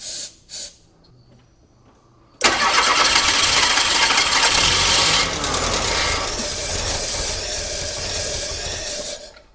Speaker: So, we don't want to run too much on starter fluid, but it runs. So, we got compression, we got spark, it runs. Now all we got to do is get the fuel system sorted out and the fuel injection sorted out and we'll move forward from there.